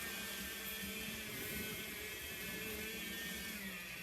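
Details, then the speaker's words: Small model steam locomotive at maximum throttle runs slowly with a loud, steady high buzz. It has needed a lot of power since a wheel came off and was refitted, and has never run the same since. Something is binding; the cause is unclear. "You can just hear it buzzing. And that's max speed. And she shouldn't be making that much noise either. So definitely something wrong."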